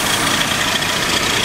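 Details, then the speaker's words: AMC Eagle engine with a newly fitted carburetor, at idle. A constant, high, airy hiss sits over a quiet idle; the owner suspects a vacuum leak, possibly at the carburetor base seal, unconfirmed. "so that means i'm probably got a vacuum leak and i think i can hear one too you can hear that little hissing sound that definitely sounds like a vacuum leak"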